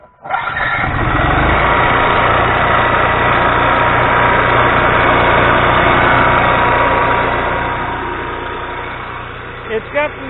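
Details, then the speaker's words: Micro Quiet 4000 watt generator after oil leak repair and valve cover cleaning; steady run with fast even picking tick, about three or four a second, over exhaust: rocker arms too loose, to be readjusted with feeler gauge. "a rocker arms are too loose that's that picking I'm going to shut it off and readjust him"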